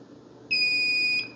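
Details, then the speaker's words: 1978 Milton Bradley Electronic Simon (TMS1000 CPU), long non-working: the multimeter in continuity mode gives a clean, steady high beep for about 0.7 s on the skill-select switch joints after fresh solder. Good contact confirmed. "okay so all of those are making good contact"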